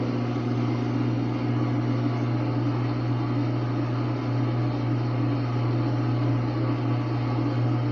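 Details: Brand-new (24 hours old) Samsung WA45T3200AW washer in calibration mode, tub still: constant low hum with gritty edge, also heard intermittently in early spin; per other owners, normal drain pump sound, not a problem.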